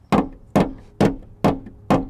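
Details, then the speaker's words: Rusted car floorboard tapped five times away from the rust hole; it rings dull and solid, meaning good metal with only surface rust that can be welded to, unlike bad metal nearby that can be punched through. Solid sheet metal. "that is solid. This metal over here, I could punch right through that. So that's how I came up with that line here."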